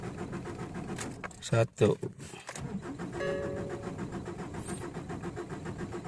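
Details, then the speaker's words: Ford Ranger diesel, cold morning start after sitting unused for months: starter chugs over about five times for a long spell before the engine catches; hard cold start, cause not yet identified. "oke oke lima kali bro yang lama baru kereta hidup kaki lepas sudah sudah hidup"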